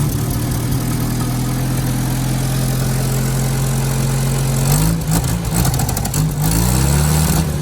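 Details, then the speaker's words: 1967 Jeep CJ5 off the road for 23 years, newly revived and fed from a boat tank through an inline filter: smooth low idle, then revs climb unevenly with pitch wavering and dipping; hesitation on acceleration, owner suspects the carburetor needs a rebuild. "you can hear that little bit of hesitation trying to rev it up I'm sure this carburetor needs to be rebuilt"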